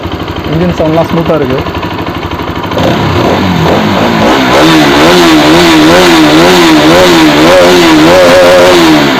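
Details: Bajaj RS200 single-cylinder motorcycle engine starts and revs up and down in smooth, even sweeps with no knock or rattle; normal start and revving during an engine-noise check.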